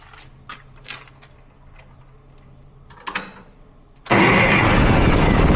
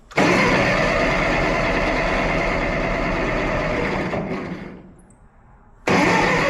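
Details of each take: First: Ferguson tractor with a new starter, after removing a shipping piece that stopped the pinion reaching the flywheel: quiet clicks, then it catches at once into a steady, even run. It fired right up and timing seems fine; the carburetor still needs work. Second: Ferguson petrol tractor carburetor: the engine runs fast and rough, sags almost to stalling, then picks straight back up. It only runs on choke; a lean fuel mixture.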